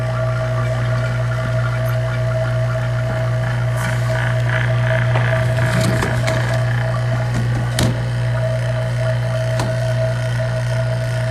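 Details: Vacuum pump running on a dome over tap water to show a cold boil under vacuum: loud, steady low hum with an even drone and no rattles or surging; the pump is pulling down smoothly and healthy.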